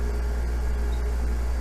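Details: Liebert DataMate computer-room AC unit after replacing a bad compressor contactor, amps slightly lower with clean contacts: loud, steady low hum with an even pitch and no rattles or clicks. Compressor running smoothly.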